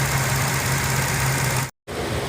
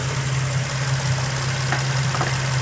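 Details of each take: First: 2004 Infiniti G35 Coupe petrol engine idling smoothly with steady low hum, no shaking. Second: 2004 Infiniti G35 Coupe idling after cold air intake and PCV valve replaced: steady hum with a constant airy hiss from a vacuum leak at a loose PCV vacuum hose, fixed by reseating the clip and line.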